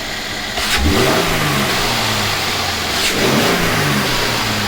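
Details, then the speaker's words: Mercedes-Benz E350 with M276 V6 after replacing ignition coils and spark plugs (one coil broke stuck in block), started and given some gas: two quick throttle blips rising and falling smoothly, no stumble or misfire; running properly, no smoke, smells a little funny. "that's okay it's running it's running properly running properly"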